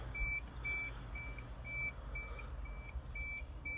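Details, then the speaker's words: 1995 Isuzu Elf Outback Express diesel 4WD camper van, 5-speed manual, 166,804 km: steady high reverse buzzer beeping about twice a second over low idle; reverse alarm working normally. "It's got power mirrors, power windows, the works. A million keys, your back buzzer."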